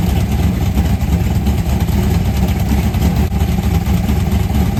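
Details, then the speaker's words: 1990 Lincoln Town Car, carbureted 5.0 V8 (1989 HO shortblock, 750 Holley, Anderson N4 cam, BBK long tubes, MSD ignition), T-5 manual, checking the two-step: deep, lumpy rumble with steady, even firing, no knocks or rattles; healthy and crisp. "Hot damn, that sounds like somebody that's ready to party, you know what I'm saying? Holy crap. That thing is crispy on the two-step, son of a biscuit."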